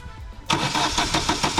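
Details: Vauxhall Astra crank no start, battery down to 10.7 V from repeated cranking and supported by a jump pack: starter spins in even quick pulses, engine never catches; no spark, failed coil pack, cheap part fitted by a previous garage.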